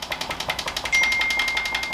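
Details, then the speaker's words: Planet X Pro-Carbon bike with the front end bounced: a quick series of light, tinny knocks, about ten a second, from headset play (head knock). "that's head knock so that's got the classic Planet X heading up so we'll uh um we'll just give that a quick tweak up now"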